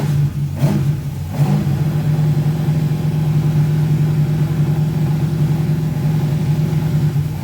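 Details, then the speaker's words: Rover V8 race engine, first start after replacing both head gaskets and setting valve clearances, battery 12.3 V, not yet warmed up: throttle blips then deep even burble, no knocks or misses, very smoky; runs fit. "She sounds fit, doesn't she? Obviously smoky as hell."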